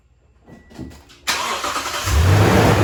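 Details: Toyota 5.7 iForce V8 started after PCV valve replacement: starter whir, then a quick catch into a firm, even idle rumble with no stumbling or ticking; normal start-up and idle.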